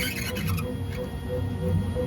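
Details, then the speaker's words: Bambu X1 Carbon 3D printer, one month old: steady hum with a repeating squeaky chirp about twice a second, persisting after lead screw lubrication; Z-axis belt rubbing the idler pulley's upper lip, fixed with a little grease on the belt edge. "you can hear that terrible screeching yeah so um the obvious would be to clean the shafts and re-oil them which I did with some synthetic Super Lube"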